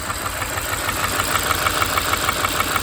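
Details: 2013 Kia Sorento 2.4 with plugged catalytic converter, heavy oil burning, misfires: sharp regular ticking about three per second from the top end at idle; intake valve not opening, possibly broken valve.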